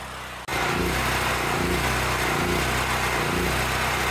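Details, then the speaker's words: Generac 8000 generator, fuel line shutoff valve closed with tank full to run carburetor dry for storage: picks up and runs steady but dips and stumbles every second or so as it starts running out of gas. "can hear this generator is starting to run out of gas, even though the fuel tank is completely full."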